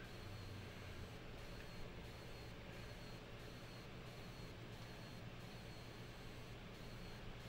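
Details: Blackmagic Pocket Cinema Camera 6K onboard mics, firmware tested as 7.3 vs 6.9.5, Takumar lens on EF adapter: faint steady hiss with soft regular pulsing about every 0.7 seconds; fan noise modulated by interference from a conductive lens adapter.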